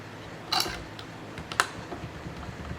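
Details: Kurzweil PC88 keyboard after a dab of grease on the squeaky key's rubbing spot: a few soft key thumps and clicks with no squeak or scrape, and the key action moves cleanly and quietly.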